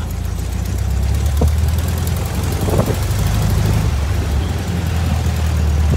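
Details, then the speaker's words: VW Thing air-cooled flat-four after a newer replacement carburettor was fitted: a steady, even low putter with no missing beats or knocks, a smooth healthy idle. As the choke opens the idle circuit isn't behaving correctly. "oh okay sounds pretty good huh yeah sounds great"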